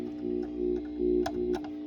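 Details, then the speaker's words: Velodyne HGS-18 subwoofer plate amp on the bench, output to an 8-ohm Kenwood speaker, customer reported hum then dead: steady organ-like buzz of low tones with clicks after delayed power-up, power-supply-like; cause unconfirmed, amplifier hum. "it is getting some pickup here maybe it's just normal pickup that's funny that's pretty power supply sounding"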